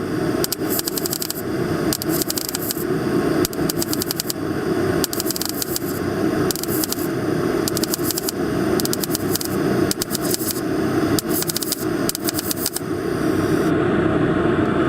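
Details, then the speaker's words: MIG stitch welding with short trigger pulls during rust-hole repair: crackly bursts lacking the even frying-bacon sizzle; wire feed speed suspected too low, though the welds look good. "And if you listen, you can hear a slight difference in what this weld sounds like compared to the last seam weld. This one doesn't sound like frying bacon. So our settings are a little bit off, and I think we need to increase the wire speed,"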